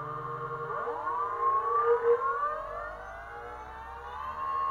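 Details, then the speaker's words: BLDC 6384 140kv motor on e-bike controller, hall sensors added: whine rises evenly on spin-up then holds steady; previous roughness gone, smooth startup, about 1.26 amps. "it as you can see now we don't have that roughness anymore see nice and smooth even the startup"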